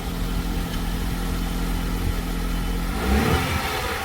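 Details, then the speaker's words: Abandoned Hyundai Tiburon's first start in years, nearly complete mechanically; low steady idle then a brief clean rev that settles, smooth with no knocking, sounds like a regular car: normal idle and rev. "Oh, y'all hear it? First start. Sounds just like a regular car."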